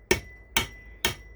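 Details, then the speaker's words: Slow, even hammer taps (about two a second) on a press-fit signal base over its pole, set on a concrete floor; each tap rings, meaning the base isn't fully seated yet. The tone turns hard and sharp once it's all the way down. "you'll hear the tone get a hard sharp sound that means it's all the way down"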